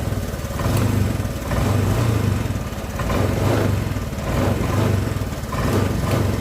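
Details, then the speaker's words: Honda Vario 125 scooter that stumbles on cold start and won't idle cold but runs normally hot: compression restored by flushing, throttle body cleaned. Warm idle with a gentle swell in its beat, not stalling after 3 minutes; still dies once or twice in the mornings. "nah ini sudah aman nih Sudah 3 menit sudah enggak mati mati memang satu kali dua kali mati-mati kalau"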